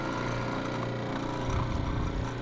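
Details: Refrigerant recovery machine starting during AC leak repair, outlet fully open, inlet used as throttle to hold about 80 psi: compressor kicks on with steady low chugging hum that firms up and runs evenly; normal startup.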